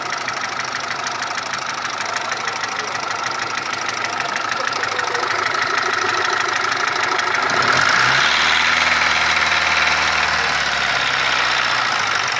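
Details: Mitsubishi 1.3 petrol engine after a rebuild with cylinder head and block replaced: quick, even ticking at idle, about three per second; cause not pinned down.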